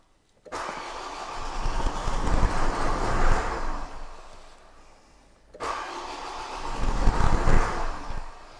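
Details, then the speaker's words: 2008 Renault Koleos 2.0 dCi M9R diesel that won't start and has no stored fault codes. Two cranking attempts at about four beats a second; it turns over but never catches. "customer complaint is the car won't start crank it tries to start but fails to start"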